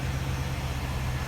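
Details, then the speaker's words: Chevrolet Impala LT1 V8 idling just after a first-try start following a new spark plug and plug wire install: a steady, even low rumble with no misses or stumbles, no idle issues. "Alright, let's start up right on the first try. There's no idle issues."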